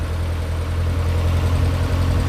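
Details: Lancia Delta race car engine warming up to temperature before a tune: even deep idle holding steady, no ticking, misfire or hunting.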